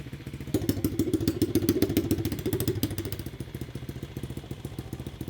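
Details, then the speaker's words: Rebuilt Chinese no-name pit bike, 125cc swap with new cylinder and piston, idling with a freshly welded muffler tried both ways round: small single thumping steadily, soft muted exhaust note; both orientations work, healthy idle. "Both of them seem to work. Wow. That's definitely the quietest right there. I think that has a better exhaust note though."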